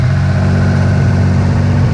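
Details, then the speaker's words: Restored Mitsubishi 3000GT VR4 idling after a bolt was tightened: steady, even, low rumble but still sitting high. It had been above 2000 rpm before; the owner suspects something left unplugged. "I mean still idle a little high before I blow the o2 sensor and it was idling above two grand"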